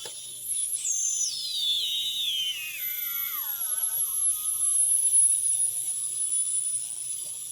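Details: Home-built Solder Smoke 40 m direct conversion receiver, working in the garage after troubleshooting: a clean whistle glides steadily down in pitch as a signal is tuned through, over faint hiss; the receiver works properly.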